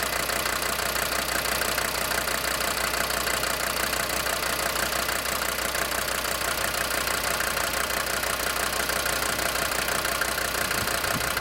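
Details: DB29 diesel at idle, foam in fuel and small bubbles in return line after about 3 minutes: sharp regular clatter about three per second over rumble; suspected knocking injector, unconfirmed.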